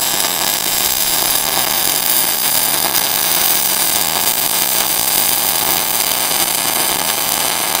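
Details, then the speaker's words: Millermatic 255 MIG, 0.035 wire, 90/10 argon/CO2 gas, set for short-circuit transfer running a small bead: steady even crackle like frying bacon throughout; normal stable short-circuit arc. "you hear that kind of crackling that bacon sound"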